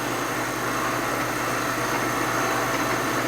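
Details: Boring on a Harley knucklehead rebuild, taking slow light cuts to bring the hole round and back on centre: a steady, even hiss and whir of the bar with a faint constant hum; a smooth, consistent cut.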